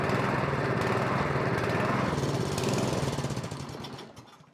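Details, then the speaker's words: MTD snowblower, stone cold, with fuel in the tank, on a little choke: hunts unevenly with speed sagging and dying away near the end; fuel-starved from a probably plugged pilot jet. "Oh, there's fuel in there. It's probably the pilot jet plugged up. Because it requires both to run properly."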